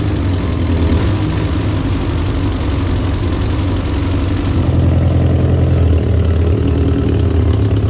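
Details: 1964 Peugeot 404, previously seized engine fully rebuilt with pistons freed, first start after reinstall: steady even low rumble at idle with no knocks, misses or rattles; sounds healthy.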